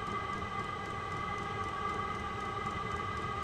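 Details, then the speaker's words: Vevor 5 kW diesel parking heater running on kerosene from a 12 V battery, tested indoors: steady whoosh of fuel burn and fan with a faint constant tone, no noticeable fuel-pump ticking or surging; burn chamber near 48–50 °C and climbing. "it's not nearly as noisy as I've heard people complain about the ticking of the fuel pump this sound the whoosh you're hearing you wouldn't hear when this is outside"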